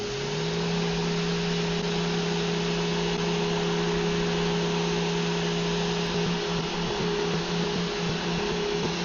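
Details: Mirka random orbital sander on white oak with 80 grit, tested after the Vevor felt jerky. Even, steady motor hum with constant pitch and smooth pad buzz on wood, no surging or rattle; sander running normally.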